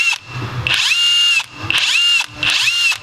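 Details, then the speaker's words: Matco Infinium 3/8" cordless impact wrench: each trigger pull gives a loud, steady high whistle held until release, three times; far louder than other guns, the distributor thinks they may all do it, cause unknown. "But one weird thing about this gun is it whistles."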